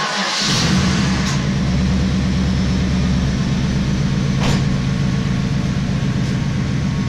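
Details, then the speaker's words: Cylinder misfire on an LT1 V8 Trans Am daily driver at idle: an uneven, stumbling beat with pulses dropping out irregularly where a stock engine should be smooth. It was diagnosed with a spark tester, noid light and stethoscope and traced to a bad fuel injector. "but the stock it should have been smooth not this sound so that's a misfire right there"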